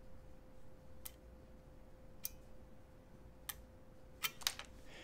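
Sharp, crisp single clicks about a second apart over a faint hum, with clean contact switching and no chatter or buzz.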